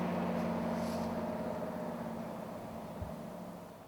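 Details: 1997 Chevy 3500 4x4 with 454 big-block V8, warm after a cold start: deep, even burble holding steady with no knocks or ticks, fading smoothly as it settles; normal warm idle.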